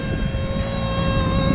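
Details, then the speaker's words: Rooftop package unit: a steady high-pitched squeal over the blower's rumble as air is pulled through gaps because the return air is very dirty. The indoor blower motor, rated 4.8 full-load amps and drawing 3.53, itself sounds fine. "all I hear is that uh high pitch squeal where the air is trying to you know get pulled anywhere it"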